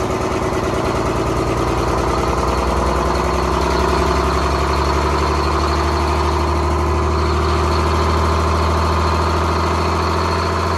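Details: 1970s Crane Carrier 10-wheel-drive truck with a Detroit 6-71 two-stroke diesel, after freeing four stuck injectors and the rack: a deep, even drone at a steady idle with no stumbles or knocks; running healthy.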